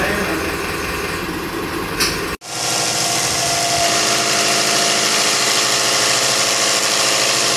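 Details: Isuzu 4BC2 diesel with hard-start problem, after injection pump calibration for easier starting: cranks, catches at once and settles into a steady, even diesel clatter at idle with no stumbling or misfire.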